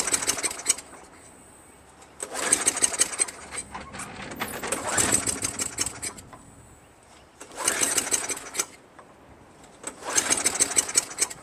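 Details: Craftsman Eager 1 22" self-propelled mower with 5.5HP Tecumseh engine, fresh gas, spark confirmed: each pull gives a short ragged sputtering burst that dies at once.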